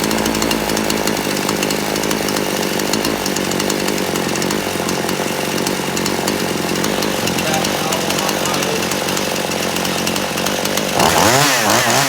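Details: Poulan Pro chainsaw, warmed up hot after adjusting the carburetor screw in until it cleared out; holds a crisp, steady high rev with no hunting or bogging, then clears cleanly; carb tuned right.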